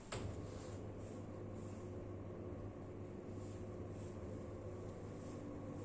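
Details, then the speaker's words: Common market roller blind motor raising, with a click then a steady, fairly loud low hum; also clicks on stop and start. "Hai bisa didengarkan bunyi dengung motornya juga"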